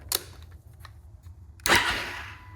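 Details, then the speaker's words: Husqvarna FE 501s with new IMS 4.5 gal tank and Taco Moto fuel pump assembly, first priming: light clicks then steady high whir fading as pump pressurizes normally; no leaks seen, though one clamp was found untightened afterward. "hear the pump it's pressurized no leaks"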